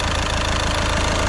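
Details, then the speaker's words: VW Caddy diesel at idle after injector removal with a puller and repair, just started, slight belt squeal noted: steady, even idle with soft regular clatter, no knocks or misses; healthy and quiet. "That sounds absolutely so quiet, so quiet. I'm well chuffed with that, well happy. Definitely happy with that."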